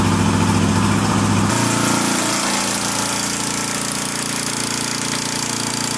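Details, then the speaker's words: Suzuki GS250 engine running after valve clearance adjustment and cam chain and tensioner spring work: rapid, even tapping about 3–4 per second, worse with revs and milder at idle. The top-end tap persists and its cause is unclear. "so that didn't sound too good unfortunately they're still tapping there and as you can hear yourself it's with the revs once you pull once you give it some revs it starts tapping on idle lower down it's not so bad"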